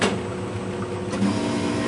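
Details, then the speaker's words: Emery Thompson batch freezer at a frozen-dessert demo, refrigeration switched on after the ice cream mix is loaded: the compressor kicks in with a steady low hum and a light mechanical whir settling evenly; a normal compressor start. "You hear the compressor go on?"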